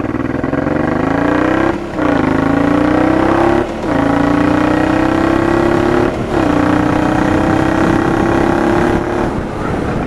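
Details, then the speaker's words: Honda Transalp PD06 with MIG exhaust, revving: a sharp crack and a dip in the note every couple of seconds as the throttle snaps shut, popping through the exhaust. Owner suspects cracked, defective rubber intake boots; replacement planned. "now you can tell by first of all by the backfires take a look at the video now my intake needs this replacement i think it's got some cracks in it or something"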